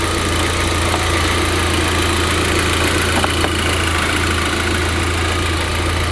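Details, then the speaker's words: VW Golf GTI idling lumpy after new fuel filter, heard close to engine: steady hiss of rushing air over a slightly uneven idle; air escaping from a cracked vacuum line. "The engine was definitely still running lumpy, and I was almost certain that I could hear air escaping from one of these vacuum lines."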